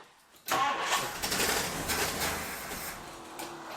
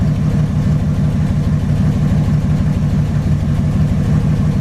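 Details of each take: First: 1962 Ford Thunderbird Landau, sat several years: uneven cranking with ragged half-catches, never settling to idle, starter not staying engaged; suspected failed mechanical fuel pump not delivering fuel to carburetor, no start. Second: 1962 Ford Thunderbird Landau V8 just after replacing the fuel pump: a smooth, even idle with a steady low rumble and no misses or knocks; a normal idle.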